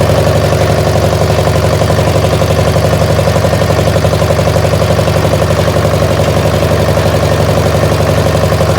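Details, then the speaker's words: Massey baler diesel engine at idle: steady low, lopsided, uneven beat. Only one cylinder is firing, the one fed by the original injector pump, and the other is dead. "But if I say it again, we got it to fire on 1, and it's definitely firing on 1 cylinder."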